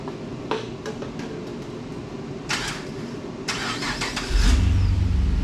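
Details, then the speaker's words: Chevrolet Caprice PPV after suspension lowering, new rear cradle and diff bushings, new cat-back exhaust, bolts torqued under load: first start, engine catches and settles into a deep even rumble; sounds good. "we got uh everything tight under load that way you know the bushings are in a bind and we're gonna hear the first start up here it's gonna be it's gonna be fun"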